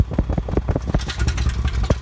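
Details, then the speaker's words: 1988 Acura Legend just started after 10 years sitting, on old gas with a used ECU: uneven, lumpy idle with thumps and stumbles, whole car shaking like a tractor and reluctant to rev; running rough, cause unknown. "nó còn sống chủ yếu nó thô thực sự thô động cơ rung toàn bộ xe rung âm thanh giống như một máy kéo"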